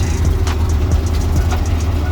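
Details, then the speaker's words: Mom's 1985 Chevy Champion G20 campervan, 350 V8, just fitted new spark plugs and wires after sitting, freezing cold start: low even idle with steady beat, light rattle from hood not closed; started first crank, normal idle. "just happy to hear her start up heck yeah we got spark we got fuel we got air we got power even after sitting there for days she started right up on the first crank it's what we like to hear"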